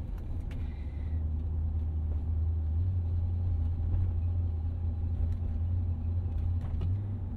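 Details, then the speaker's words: Mercedes-Benz ML55 AMG on a drive at about half throttle: deep, uneven rumble as it labours and stumbles, running like on three cylinders, no power, dying around 30–40 mph; slightly better once warm; misfire under load. "so under load this thing just falls on its face i'm like halfway down on the gas right now see that it's just you put your foot down and it just misses i mean it runs on like three cylinders oh it's struggling now yes"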